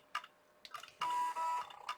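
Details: IBM ThinkPad 390 laptop at power-on: a few quiet ticks, then a short buzzy stepping whirr of about half a second as the floppy drive seeks normally during boot.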